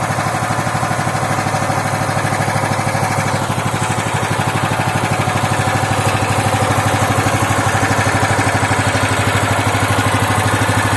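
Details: Loncin 15 hp engine, first start after filling oil and petrol, started on second attempt: even, steady idle at about three firings a second, no knocks or misses; normal idle.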